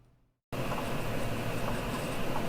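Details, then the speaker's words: Brother Hobby Avenger 1806.5 1300 KV motor on a used 7-inch FPV quad, spun by hand: quiet, even whir with no crunch or grit as it spins down; smooth, healthy motor bearings. "give them a good spin hear how the bearings sound i can't even really hear it which is a good thing um you don't really want crunchy bearings"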